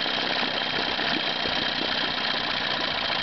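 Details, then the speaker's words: 1987 Evinrude 15 hp outboard, freshly tuned up, during carburetor adjustment: the low-speed mixture is richened past smoothest, so the idle gallops unevenly and four-strokes, firing every other stroke; rich low-speed mixture. "I'll go ahead and richen it up and you'll see that the uh motor will start to gallop and for stroke pretty"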